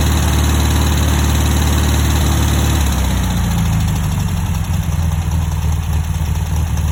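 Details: 1960 VW single-port air-cooled engine idling with a rough, uneven low throb and faint irregular tapping; unidentified noise chased for months, worse when warmed up, and cylinder two burns a little oil.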